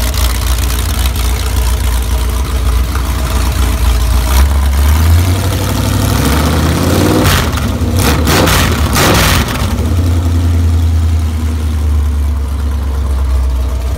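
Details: V8 on a converted engine run stand for breaking in a new cam and lifters with stock valve train: fires up into a lumpy idle, quick blip and back down; strong, no knocks or rattles.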